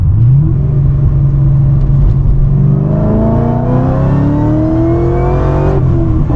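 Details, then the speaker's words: Holden HSV with a supercharged LSA V8, recently fitted with a new fuel pump and chiller, on a hot day with the aircon on, changing down under load on a bridge: a strong whine rises steadily with revs, a healthy supercharger sound. "Certainly whining."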